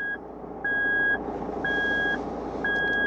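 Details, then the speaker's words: Toyota Land Cruiser 150 3.0 D-4D idling, 4LO-to-4H shift attempted with transmission in P instead of N, VSC off and 4LO lights on; steady beep once per second over quiet diesel idle. Transfer case shift warning; fix: shift to N first. "sunet pe care îl auziți este făcut de sistem care ne avertizează că nu am operat corect trecerea din 4LO în 4H. Respectiv, suntem cu transmisia în modul P și nu în modul N."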